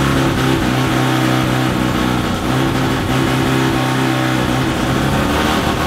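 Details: Mazda with FD RX-7 13B turbo rotary, studded semi-peripheral-port build, automatic, first start on hoist, no exhaust fitted, water about 40 degrees: loud choppy brapping idle, lumpy but steady; not yet tuned.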